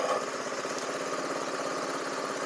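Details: Small single-cylinder buggy engine after readjusting a loose, wrongly set exhaust valve: quick even idle putter with no top-end ticking; full-throttle cutting out remains, owner suspects the carburetor.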